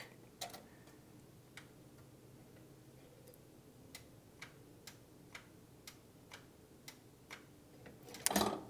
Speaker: And if you listen close as I open the throttle, you can hear a click.